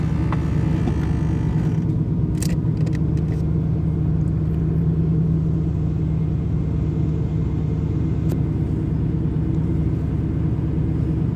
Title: Camaro IROC Z Rough Idle When Warm